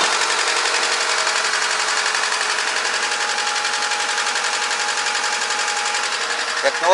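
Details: VAZ 2110-12/Priora 124 16-valve engine after head reassembly with new seals, belt, oil and filter, cold start: uneven stumbling tick, check-engine light flashing, suspected coil or spark plug, running on three until fourth cylinder kicks in; misfire, cause unconfirmed.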